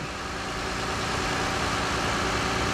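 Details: 2009 Toyota Aurion warming up at idle after a no-start complaint, battery charging 14.2 V so alternator good: smooth steady idle, even low hum, no misses or knocks; normal.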